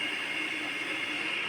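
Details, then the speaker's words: Electric kettle repaired for a no-power fault, filled with water and plugged straight into the mains instead of through a series tester: a steady rushing hiss with a faint whistle as the water heats and steams, so the element works normally. "এটি কিন্তু গরম হতে শুরু করে দিয়েছে, আমি কিন্তু শব্দ শুনতে পাচ্ছি। দেখুন ভিতরে পানি গরম হচ্ছে।"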